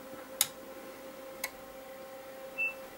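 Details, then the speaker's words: Homemade 400 Hz aircraft inverter based on a class D audio amp, 115 V and 23 V AC outputs, about 60 VA, with the transformer cores clamped down: a faint steady 400 Hz hum, very quiet, with two sharp clicks and a brief chirp. "now I've got these CS quite uh clamped down down and usually they're if they're loose they're a lot more noisy but you can hardly hear the uh the uh the 400 HZ um humming it's uh it's very quiet on this um on this inverter"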